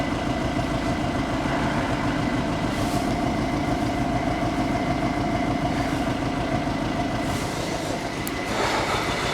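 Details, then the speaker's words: Skoda Superb diesel running after a broken injector-bracket bolt was extracted; lumpy, knocky idle with a hollow exhaust note and little exhaust flow, no fault codes, timing suspected and about to be checked with a crank/cam scope. "so because i didn't have that much exhaust coming out this is quite lumpy quite knocky check for codes no codes so i decided to check the timing"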